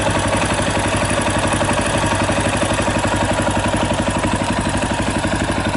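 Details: 2018 Yamaha Tricker XG250 single at idle with a fast, even metallic clatter about four a second on the beat; slack cam chain from a loose cam chain tensioner, tensioner being adjusted (stock tensioner is automatic).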